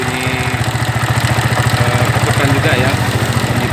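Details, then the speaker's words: 2009 Yamaha Vixion single-cylinder at idle, timing chain and tensioner already replaced but noise persists: light, even knocking and rubbing from the cylinder head; worn camshaft bearing. "Nah, seperti itu ya teman-teman ya. Ada bunyi seperti gesekan"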